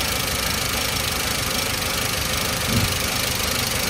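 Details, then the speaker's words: 2005 Toyota Avanza 1300cc, non-VVT-i engine at idle: irregular snapping tick riding over a busy idle; spark leaking from ignition coils, typically numbers 3 and 2; coils to be replaced, plug wires kept. "Oke ini posisinya ya tuh apinya tuh jadi adanya di koil ini ada bocor yang sering koil nomor 3 sama nomor 2 ini"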